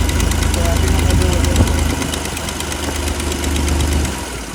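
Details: Vintage flat fender Jeep with Sniper 2 EFI and custom baffled in-tank pump fuel cell, fixing fuel delivery and aeration problems: steady, even engine run with light regular ticking, no misses; running normally.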